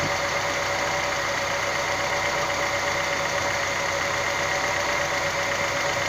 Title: Стук гидрокомпенсаторов.